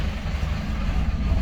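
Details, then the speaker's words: 2006 Dodge Ram 2500 Cummins 5.9 diesel, 225,000 miles, hard to start and stalls: after the wait-to-start light goes out, a deep lumpy idle sags to about 500 rpm and dies; owner suspects the fuel control actuator (AFC). "Let it fire. Let the light go out. Let me see what it'll do today. Yep, it goes to about 500 and craps out."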